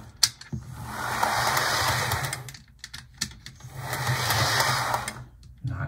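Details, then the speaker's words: HO model locomotive with pantograph and an 8-pin plug but no DCC decoder, after earlier stuttering: small motor whirs evenly with a faint high whine, in steady passes with no stutter or catching; running smoothly. "all right now it's running really well i just had some just had some stitching"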